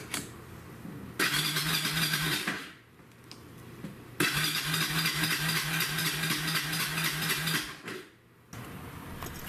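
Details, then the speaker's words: Mid-1990s Kawasaki Bayou carbureted ATV that had started sputtering and was hard to restart: two cranking bursts with steady chug about three pulses a second, never catches; crank no-start traced to fouled spark plug. "this quad had been great but then the last time I got it out started sputtering and just really difficult to restart"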